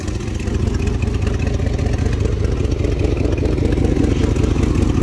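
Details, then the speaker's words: 1999 Dodge Durango SLT 5.9 L Magnum V8 after sitting 14 years: lumpy uneven idle stumbling a couple of times a second, misfire from two spark plug wires completely eaten off. "started it back up sounds the same so uh yeah we're missing two plug wires guys"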